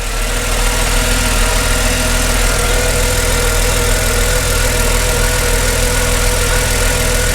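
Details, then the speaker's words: 2005 Mercedes CLK320 M112 V6 running after starter replacement: fairly smooth, steady idle with no misses or knocks, maybe slight idler pulley or tensioner noise but nothing crazy; normal idle. "the engine is fairly smooth I can hear maybe the idler pulley or tensioner slight noise but nothing crazy"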